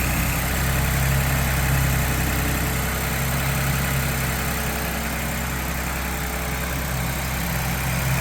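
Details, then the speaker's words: 2022 Ford Bronco Badlands 2.7 L EcoBoost, cold start in garage, hood open: high fast idle, smooth and steady, with loud quick ticking from injectors and high-pressure fuel pump and faint transmission whirr; all normal. "so you can hear a little bit of whirling coming from the transmission and you can also hear that loud ticking we were talking about and some of that's the injectors and some of that is actually the uh high pressure fuel pump here"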